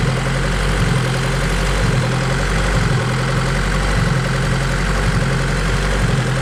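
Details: High-compression Honda D16Z6 build after valve lash adjustment, while timing is being set to 16 degrees with a new map loaded: steady low idle that rises and falls about once a second, a hunting idle.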